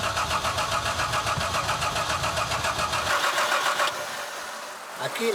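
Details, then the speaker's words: Car stalled and won't restart, with a recurring filter problem. The starter churns steadily for several seconds but the engine never fires: cranks, no start, cause unconfirmed. "Jego samochód zgasł i nie chce odpalić."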